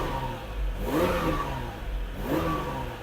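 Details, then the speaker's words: Ferrari 456 V12 with an intermittent fault that drops half a bank, after reseating a loose connector: smooth idle and two clean, even throttle blips on all 12 cylinders, fault may still recur. "Currently, as you heard, we've got all 12 cylinders singing beautifully. The engine is working perfect, but that means nothing on the 456."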